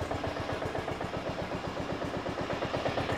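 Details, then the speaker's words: Briggs & Stratton Intek 16 hp single-cylinder OHV engine, cold after carburetor replacement: rough low idle with heavy knock about four times a second; pretty bad rod knock. "this guy's got a pretty bad rod knock turn that in a little bit"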